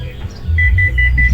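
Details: Hitachi 15 kg washing machine showing an F1 error: a quick run of high beeps, about five a second, over a low hum. The error alarm was traced to a rat-chewed wire.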